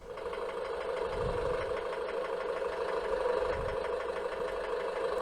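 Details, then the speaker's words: 2011 Chevrolet Orlando 2.0 diesel, just over 50,000 km, hot idle after 20+ minutes driving, not when cold: faint, irregular intermittent tapping over idle clatter; injection quantity reportedly jumps between 5cc and 3cc with the noise; cause unconfirmed. "지금 나는 소리네요. 딱딱딱딱딱, 딱딱딱딱딱딱, 이런 소리네요."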